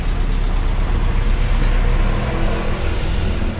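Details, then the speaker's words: Toyota Kijang Super petrol engine after replacing the full set of spark plug wires (one was leaking current): fine at first start but stumbles and hesitates as if about to die when revved, deep uneven lumpy rumble. "Sebenarnya enak di awal itu jegekgegek langsung greng cuman begitu digas nah kayak mbet"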